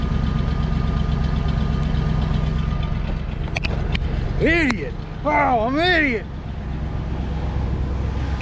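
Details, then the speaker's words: Old Ford F-150 V8, previously seized engine recently revived, idling with plug wires in the wrong firing order: lumpy, stumbling idle with an uneven low beat; cylinders fire out of sequence; runs better after rewiring to 1-5-4-2-6-3-7-8. "guys I think I have the spark plugs the firing order wrong let me swap that real quick"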